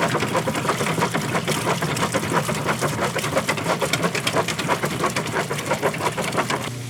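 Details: Kenmore washer running with the lid open. Rhythmic swishing agitation strokes, about three per second, steady with no knocks or grinding: normal agitation.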